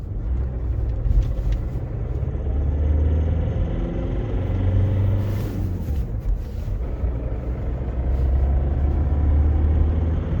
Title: Audi A3 8P 1.6TDI knocking sound